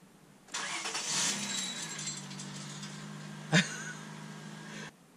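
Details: 1998 Honda Accord 3.0 V6 automatic with modified exhaust: quick crank catches into a loud, raspy exhaust rumble settling to steady idle, one sharp pop midway; healthy start.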